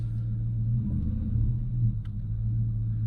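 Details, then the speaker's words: Ford Mustang that had overheated, started after an intake manifold and water pump replacement, cooling system flush and fresh coolant. It starts way better than before, with no coolant leaking from the manifold, and idles with a low, steady rumble, no misses or knocks. Normal idle. "So after I flushed it and stuff, put some coolant in it, see how it starts. Starts up way better than it used to. No coolant spilling out of the intake manifold."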